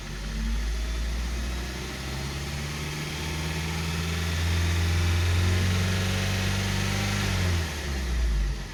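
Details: 2012 VW Passat CC 2.0 TSI (EA888 gen 1, CCT), 189,000 km, cold engine after oil top-up: revs up, holds, drops back with deep knock under revving, unchanged by oil; piston knock, teardown for rebuild.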